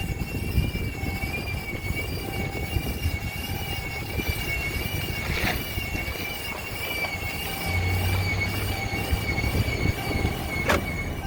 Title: 2017 Ram 1500 whining/screeching noise